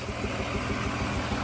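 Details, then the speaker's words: Small-engine Z car in tune-up project, started first try with a little gas: idle with slightly uneven shaky beat and occasional stumble; misfire, owner suspects it needs a tune-up, tach not working. "it's a little shaky you might need a tune-up or something it sounds like it's got a little bit of a Miss in there I can hear it but it runs"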